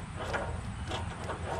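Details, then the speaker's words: Boat trailer hub turned by hand with the cotter key and castle nut removed, brown seen in the grease: slow, uneven scraping and gritty crunching from a rusty wheel bearing, which is being replaced. "I can see some brown in there, so there might be some rust up in the bearings."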